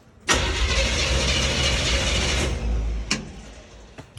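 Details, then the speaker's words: 1954 International pickup after installing a new ignition switch to replace a faulty one: about two seconds of steady starter cranking that stops without catching; the engine turns over but does not start yet. "See if this thing turns over. Ooh, you hear that?"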